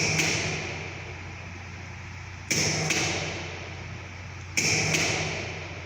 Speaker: Now we need to increase the voltage, primary voltage. You can hear the breakdown sound also.